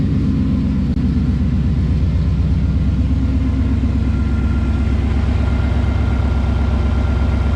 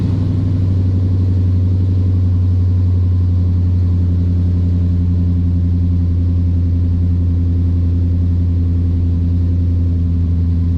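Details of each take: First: 2012 Boss 302 V8 at first start after long tube headers, a new intake and a Lund tune: deep, loud, even lumpy idle with no ticking or puffing leaks, though the x-pipe is misaligned and rattles a little; the engine sounds healthy. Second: 2012 Ford Boss 302 V8 after long tube header and intake install with tune, idling with loud, deep, uneven rumble and puffing from a huge exhaust leak where the X-pipe doesn't match up.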